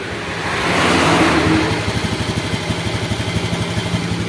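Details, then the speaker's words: Honda Scoopy ESP fuel-injected scooter on a borrowed battery, hard to start. It starts, then its idle swells and sags instead of holding steady. The fuel pressure gauge needle rises and falls with weak pressure. "Nah ini Ini motor enak ya Kok tiba-tiba enak ya tadi tadi itu yo motornya itu enggak bisa distarter ya lah ini ya stasionernya naik turun"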